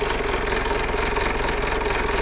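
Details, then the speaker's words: Diesel idling after a shop replaced the piston rings and overhaul gasket but not the cylinder liners. Rough, uneven idle with a gruff chuffing pulse and knocky clatter. The mechanic says this is blow-by and that the liners are likely damaged too. "yan yung epekto ng blow-by. So ito, doon sa pinakita mo kanina na bumili sila ng overhauling gasket, bumili sila ng piston ring, hindi sila nagpalit ng liner."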